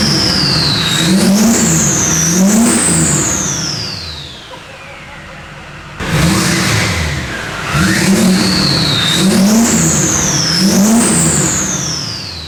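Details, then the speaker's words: Duramax diesel in a K20 build: strong rising and falling revs with a clean turbo whistle climbing on each blip; it pulls evenly and sounds healthy. "Listen, it sounds great. It sounds absolutely. It sounds like it's mean, bro."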